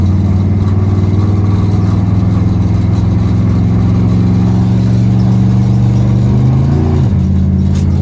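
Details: 1977 Dodge D200 360 V8 with new intake and rebuilt carb; on a test drive a deep steady rumble, then a quick sharp rise and drop in revs on a blip, clean and crisp with no stumble: healthy throttle response.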